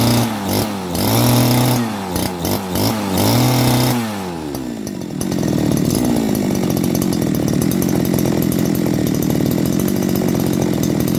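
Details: Type 411 two-stroke grass trimmer that was hard to start and surged, after a carb clean and a replaced reed valve: it blips through a few revs, then settles into an even, steady idle with no surging.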